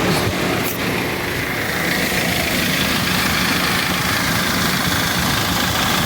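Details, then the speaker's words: Dodge Caliber at idle, heard from underneath with AC compressor running: loud, fast metallic slapping chatter from the timing chain; codes P0365 and P0340 (camshaft sensor circuit) suggest cam/crank misalignment; tensioner and guides to be checked. "mire como suena el sonido de cadena eso fuerte"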